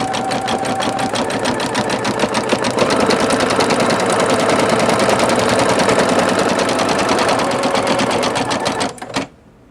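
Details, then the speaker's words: Singer Futura XL 550 sewing machine after repair stitches at a steady, even rhythm, then stops; the loud rattling and clanking from the bobbin area is gone. "you hear that there's no more rattling the problem has been resolved no more clanking and that bobbin no more rattling"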